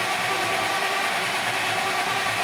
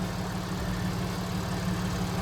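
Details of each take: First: 2014 supercharged Audi S4, cranked after the owner's own repair following a check engine light. It cranks steadily at about three beats a second but won't fire; it starts only after being given a little gas. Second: 2014 Audi S4 supercharged, after reconnecting unplugged sensors, check engine and TPMS lights on: steady even idle with low drone and light fine ticking, normal direct-injection injector rattle, engine running healthy.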